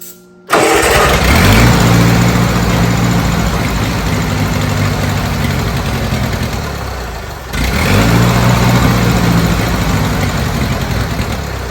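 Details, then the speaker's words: Old Bobcat 610 skid steer, Wisconsin petrol engine, old updraft carburetor, fed ethanol-free 90 octane from a jug via the fuel pump, started with starting fluid: steady slightly labouring idle that sags and recovers; runs only almost fully choked, dies when given throttle. Cause unconfirmed. "So we got it running on its own. It's literally doing what it needs to somewhat. It's almost all the way choked to run, and it has no, you give it throttle and it just dies."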